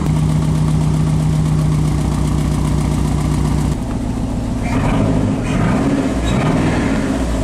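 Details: PT Cruiser GT first start after long sitting, jump-started following a blown ASD fuse electrical fault: uneven, lumpy idle with irregular stumble, owner says it still has a misfire; cause not confirmed.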